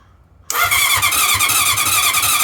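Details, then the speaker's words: 1981 CV750 motorcycle, non-starter, with a new battery fitted, gas on and kill switch set: the starter whirs and spins the engine over with steady, even cranking beats but it never fires. No start. "She works. She don't run. She works. She spins over."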